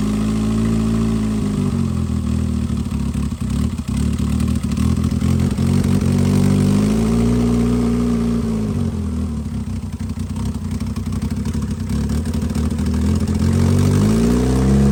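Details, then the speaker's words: 2016 Mitsubishi Lancer, newly installed engine, restarted: steady idle with slight hunting rise and fall every few seconds; air leaking at intake where throttle body mounts, since tightened along with exhaust bolts. "I uh tiing up the the intake where the throttle body goes cuz air was leaking from there"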